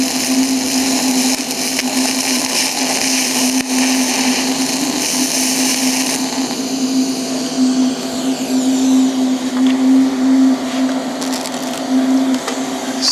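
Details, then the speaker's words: TIG welding galvanized mild steel pipe with the zinc ground off: steady buzzing arc with a constant low hum and only an occasional faint pop; no porosity, a much cleaner weld. "now if you look you don't have the paracity here I still have a little bit of popping from the galvaniz but it's a lot cleaner weld"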